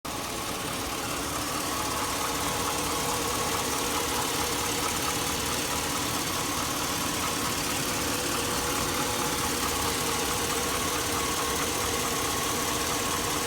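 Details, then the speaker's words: 2002 Chevy Avalanche 5.3L V8, warmed up, with the noise on the right side of the engine. A fast, harsh metallic ticking of about three per second sits over the idle, diesel-like, and has worsened over the past year. The cause is unknown; the owner likens it to a cam phaser tick. "got a pretty good knock I don't know whatever that is if you guys know what that noise is it's warmed warmed up here it's on the right side"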